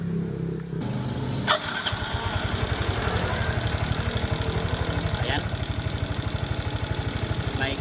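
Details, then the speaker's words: Yamaha Mio Soul i125 scooter after the belt drive cover was removed, restarted to check for noise. Engine fires and settles into a fast idle with a faint, steady light tick. Ticking traced to a worn camshaft bearing that gave the tappet adjuster clearance. "Ayan po Naikot po ito pero may konting lagatik oh"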